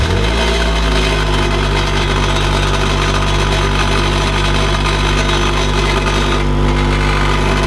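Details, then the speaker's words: Honda Integra with aftermarket twin-loop muffler starting and idling with constant tinny buzzing rattle from the exhaust; muffler broken loose, rattle stops when held by hand, needs welding back on. "I know you guys can hear that because it is horrendous. So if I put my hand and hold it, you'll notice the rattling disappears. And then I let go and it's back."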